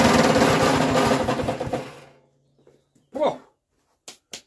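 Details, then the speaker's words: Westwood ride-on mower with an 18HP Kohler Magnum twin, started after 23 years idle: rough, rattling clatter for about two seconds, then it dies. Owner suspects something catching, possibly a belt still on the bottom pulley. "she actually ran just in the time there was an awful noise coming from it i reckon there was something catching on there"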